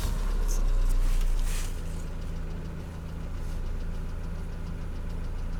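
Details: Mercedes Vito W638 facelift, 2.3 L M111 petrol, automatic, at about 832 rpm warm idle, oil 55 °C; steady low drone with a regular knock about four times a second, source unknown.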